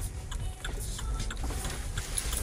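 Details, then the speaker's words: Opel Corsa D after replacing worn left and rear engine mounts that had caused body vibration: even, low idle rumble with no knocks or vibration, normal idle. "все ребята вибрации нет ставьте лайк кому понравилось все нормально ничего не стучит сами слышите наверно все хорошо"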